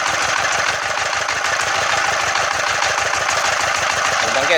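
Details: Yanmar TF115 11.5 hp single-cylinder diesel, first start after a rebuild (new liner, piston rings and bearings), idle adjustment not yet set: an even beat of about three thumps a second with bright injector clatter; normal idle.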